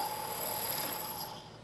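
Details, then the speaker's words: Lathe turning a long thin part: shrill, bell-like ringing chatter as cutting forces deflect the part, which rides up onto the tool and vibrates, leaving an irregular surface finish; fix begins by machining a center in the end. "turning long thin Parts such as this one can be a problem due to the deflection of the part due to the cutting forces produced by the tool I'll show you what that looks like and sounds like if I try to take a pass this part you can hear the noise the chatter"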